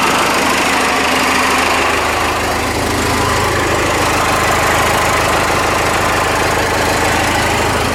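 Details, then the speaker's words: Ford F-150 with swapped Cummins 6BT diesel, just started after front tank fuel return and hose work, about six gallons fuel: even, steady clatter with firm, truck-shaking idle, turbo whistle, no smoke, no misses or knocks; normal idle. "oh yeah this engine will shake your truck that's why they say it comes forward makes it come and shakes it yeah turbo whistle it's not smoking today it's good sounds like a baby for uh 6bt"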